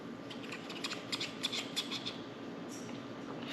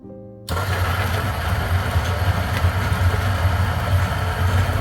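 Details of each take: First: 1Zpresso K-Plus hand grinder grinding 10 g for Turkish coffee near setting 5: crunch with sharp high chirps as burrs touch because grind is set too fine. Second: 1zpresso K Plus hand grinder at setting about 11¼, grinding for Turkish coffee: steady, even low hum with no straining or pitch drop; grinding normally.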